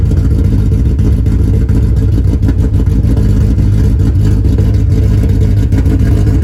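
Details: Honda Civic with swapped K24A2 engine running Hondata: steady, full-bodied engine note held through the revs, even and free of knocks, heard before first road drive; sounds healthy.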